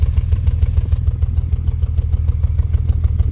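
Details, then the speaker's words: 2000 Honda Accord with flashing check engine light and fuel smell in the cabin, idling, heard at the tailpipe: uneven, chuffing pops about three times a second from a misfire; no fuel smell at the exhaust. "All right, let me check the exhaust, see what you could hear the pop pop pop pop pop."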